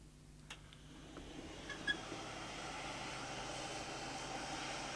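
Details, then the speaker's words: DPS-375SP digital timebase corrector powering up: a soft, steady airy whir with no rattle or scrape. Both cooling fans are running normally. "sounds like both fans work good start"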